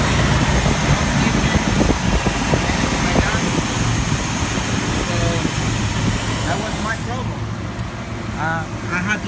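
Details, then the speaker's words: 2001 Jeep Grand Cherokee 4.0 inline-six after engine swap, previously backfiring with no start: after new crank sensor it idles with a low, steady, even rumble, no misses or pops. "I just changed it and this is what it does after putting a new crank sensor round listen to this"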